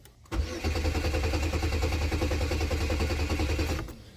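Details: 2002 Chevy Malibu, towed in with a crank-no-start; steady, even starter churn for about three and a half seconds that never catches. Crank signal present at about 200 rpm and no related codes. Cranks but won't start.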